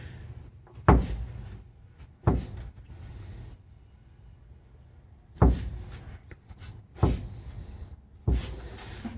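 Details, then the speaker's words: 2002 Toyota Tundra TRD off-road, rear subframe worked by hand at spare-tire mount: five heavy hollow clunks with brief creaks reverberating through truck; owner suspects loose riveted subframe, source of speed-bump clunk. "you can tell this right where the spare tire mounts and it is a kind of a loud clunking noise it kind of reverberates through the whole truck"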